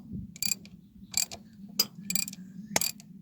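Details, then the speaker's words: Old Cat 955L track loader: sharp metallic clicks in short bursts, about five in three seconds, over a low hum as the steering pedal is pressed on one side; broken brake band suspected, while the working side doesn't click. "Well, if I step on the damn pedal, now I got it under tension. How the hell did they get that thing on there? Alright, it's gotta be looser. What is that clicking noise?"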